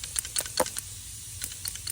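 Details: Light scattered clicks and taps as the carburetor from a cheap Chinese mini excavator is shaken during teardown; the float rattles freely in the bowl and is not stuck.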